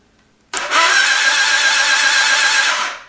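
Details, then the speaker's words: 1973 Honda CB750 custom build after installing new points and condensers and the coils, temporary 12 V supply, starter lead bumped to test for spark: steady fast starter whirr for about two seconds with no catch or grind; normal cranking, spark on each plug. "here's the starter lead bump the starter lead on there if I can bend it around ever and watch the uh spark plugs I should see some"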